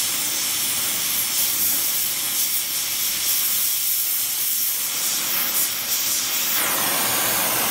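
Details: Oxy-acetylene welding with a small mixer torch on Air Products Integra cylinders (built-in regulators, quick-connect flashback arrestors); the low pressure is hard to set on a 380 psi gauge. Steady hiss, no popping or sputtering; normal clean flame.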